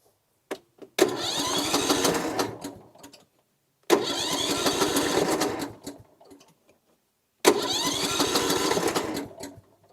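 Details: Lawn tractor with a dead battery, jump-started from an 8250A battery jump-starter pack before using force-start mode: three even, fast cranking bursts of about 2.5 seconds each that never catch; cranking but not starting.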